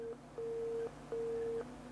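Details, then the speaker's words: PowerBook G4 Titanium laptop at power-on: a hiss, then three steady beeps, no startup chime and no hard drive spin-up; three beeps suspected to mean a RAM issue, not confirmed. "okay so you get a hiss followed by three beeps and nothing else so I think for memory three beeps is a was very dirty three beeps is a ram issue"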